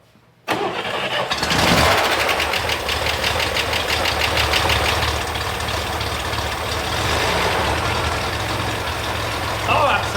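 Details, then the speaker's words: Prerunner after a transmission cooler install, hole in head not found: quick crank, clean catch and steady, even idle with no misses, knocks or ticking; runs well, possibly slightly lean. "that sounds amazing it's crazy how good they run when they run right right"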